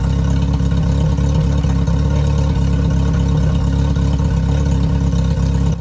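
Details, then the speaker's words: Yamaha F50TLRB 50hp four-cylinder carbureted four-stroke outboard on a flush hose, owner has already checked the ignition, warmed up: the engine stumbles coming off idle and the stumble's frequency rises with rpm. Carburetors suspected. Engine stumble under throttle. "we're going to allow the engine to warm up fully and then we're going to apply throttle to hear if the stumble still exists through the RPM range just coming off idle"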